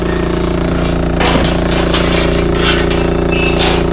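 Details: Samsung double-door fridge making very loud generator-like noise: steady droning hum with rough buzzing rattle from the unbalanced condenser coil fan blade vibrating heavily; blade to be removed and replaced with a new one.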